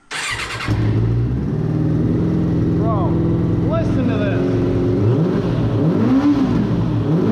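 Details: Suzuki RF900 motorcycle, first start of replacement engine, throttle cables worn; starts, idles and picks up cleanly on throttle blips, falling back without stumbling — normal revving.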